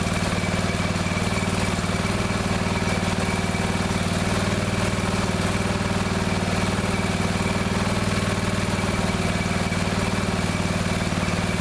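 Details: Neglected riding mower revived, after refitting fuel line and clamps, shutoff and filter, fresh gas, jump pack on weak battery: single-cylinder putter at a steady beat around four per second, no misses or rattles; runs perfectly now.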